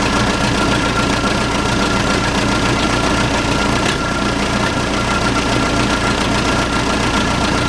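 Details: Case 580C backhoe diesel, unrun for 10 years, started on ether with no coolant: steady, even idle with normal light clatter, no misses or odd knocks; runs fine, normal diesel idle.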